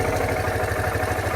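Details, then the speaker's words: Suzuki VanVan single at 12,300 km, idling: a steady, even thump with no ticks. The odd noise only appears when revving; the owner says it started about 4,000 km ago. "kilometers. While it's idle, you don't see any weird noises."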